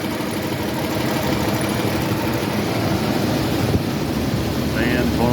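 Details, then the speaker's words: 1982 Pontiac Grand Prix, original 3.8 V6, first start after oil pan gasket replacement and exhaust belly pipe refit: steady even idle with no misses or knocks under loud cooling fan rush; exhaust sealed first shot, pan not leaking, healthy. "And put some oil in it and fire it up. Oh, I got lucky. The exhaust sealed up the first shot."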